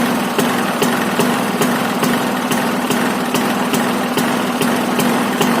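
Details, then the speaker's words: Bajaj Discover 150 single-cylinder, kick-started cold after years sitting in a workshop, cleaned and accelerator cable refitted; steady even putter with light regular ticks, no smoke, no misses or knocks: normal idle. "അപ്പേ guys, അങ്ങനെ വണ്ടി സ്റ്റാർട്ടായിട്ടുണ്ട്. വണ്ടി ഇതാ called സ്റ്റാർട്ടാണ്. Engine നല്ല എഞ്ചിനാണ് guys, ഒരു പുകയോ ഒന്നുമില്ല."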